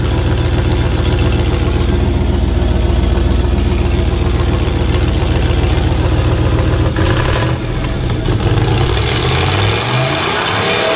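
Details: 1985 Monte Carlo with a single-turbo 4.8 V8 and 4L80E, being fixed for not making boost: loud raspy puffing ticks in time with idle over a deep rumble; exhaust leak, possibly at an unused O2 sensor plug.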